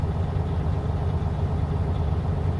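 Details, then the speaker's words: Truck diesel raised to about 1,000 RPM by foot during a pre-trip air pressure build-up test: steady, unchanging low drone as the compressor builds 85 to 100 psi within 45 seconds; normal. "So, let's bring our engine up. We're going to be around 1,000 RPM. And we're just going to watch those gauges 85 to 100 45 seconds or less."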